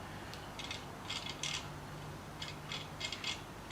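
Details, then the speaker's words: Sieg X2 mini mill spindle gearbox turned in high-speed range gives a clunking, uneven clicking and ratcheting as teeth skip. The gears inside are stripped. "okay that's now high speed now you can hear it Go clunk clunk yeah hear it so the gears I have stripped in there as well so ok"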